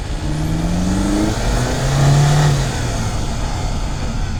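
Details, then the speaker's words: 2025 Mercedes C200 turbocharged engine accelerating on the road, mics near the intake box and in the engine bay: engine note climbs smoothly with a faint rising intake rush; clean turbo spool with no lag. "If you know what a turbo sounds like, you know what you'll be listening for at this point."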